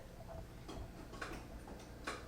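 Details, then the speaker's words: Frigidaire refrigerator ice maker with no water, diagnosing the water valve: a few sharp separate clicks a second or so apart over a quiet background after disconnecting a connector, another solenoid heard switching. "I hear another solenoid going off. So that's interesting."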